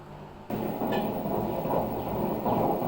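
Once the drum starts turning, a constant rough rumbling grind sets in and holds steady, typical of badly worn drum bearings.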